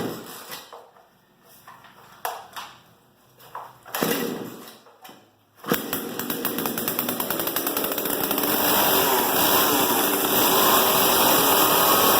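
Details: Poulan 2775 chainsaw after sprocket and clutch replacement, air filter cleaned, plug gapped and chain tensioned: several sharp pull-start tugs, then it catches into an even, rising two-stroke buzz with no misfire; normal running.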